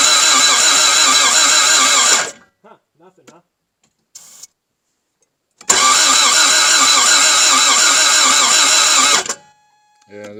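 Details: Toyota MR2 AW11 at its first start attempt after a new fuel pump, with starting fluid sprayed in at the air intake. Two bursts of steady, fast starter cranking and it never catches: crank, no start.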